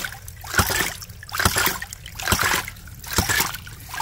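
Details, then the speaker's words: Hydraulic ram pump after the sticky waste valve's off-center washer was replaced, running at about 30 PSI; a regular slap-and-splash cycle a bit over once a second, even, with water rushing between beats, normal cycling. "so this is the distance this piston travels so you can see this pump working pump operating at about 30 PSI"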